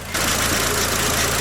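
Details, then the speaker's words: VW Passat B5.5 with a lack of power steering, engine running after the fluid was pumped through the lines. A steady high whine over the idle, suspected low fluid. It became much quieter after topping up. "I don't actually know if the power steering fluid is supposed to be checked when the cars running or not but since we're still making a terrible whining noise I'm guessing there isn't enough in it"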